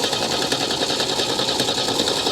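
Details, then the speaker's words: 1975 MGB with a bad starter relay, cranked by wiring the starter wire to a fuse: fast even starter whirr cranking on without firing, engine flooded with fuel and needing time to clear. "it is flooded with gas so give it just a [Music] second come on come on come on she is very flooded right now so give her a minute she'll clear up"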